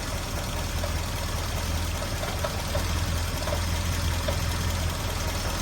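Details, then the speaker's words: 1980 Triumph Spitfire 1500 engine below about 900 rpm: light, irregular metallic rattle over the low engine drone, fine at 1000 rpm and above; not ignition, water pump, alternator or a loose pulley, cause undetermined. "pressure at 1,000 RPM it sounds fine normal and at higher RPMs also But at low RPM below about 900."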